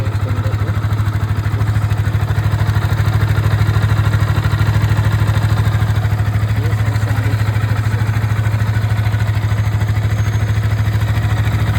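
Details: Yamaha R15 V3 single-cylinder idling evenly with a faint, regular light tapping over the low thump; owner can't identify the source.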